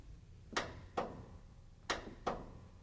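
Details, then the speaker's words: Riding lawnmower that clicks when the key is turned but won't crank: four sharp single clicks, one per key turn, with no cranking; the solenoid coil gets power but the engine doesn't turn. Possible causes: solenoid, starter, wiring, weak battery or seized engine. "The Click you hear when you turn the key means that the starter solenoid coil is getting power"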